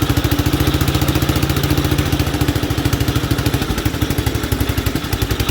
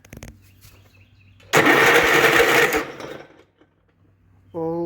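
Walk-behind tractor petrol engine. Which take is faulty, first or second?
second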